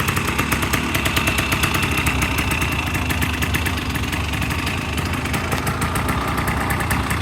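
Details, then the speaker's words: Restored 1985 Honda ATC250R two-stroke with idle and lean/rich mixture still being adjusted after the idle was turned down, still going through heat cycles. It gives a crisp, steady, even idle with no stumbling or misses; it runs good. "runs good sounds good it's a nasty boy still going through the heat Cycles on it"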